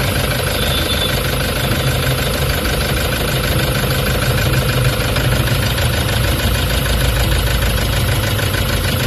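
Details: Toyota HiAce common-rail diesel with check engine light, low power and engine vibration, codes P0400/P0406 EGR malfunction: heavy low idle with an uneven, shaking pulse underneath; rough idle from EGR fault, injector spray checked okay.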